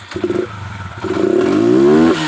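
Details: Motorcycle with a misfire, being tested with its fuel tank and plastic parts removed and the very dirty air filter taken out, to see whether a clogged filter is the cause; short blips then a rising rev with a ragged, uneven crackle; misfire, cause unconfirmed.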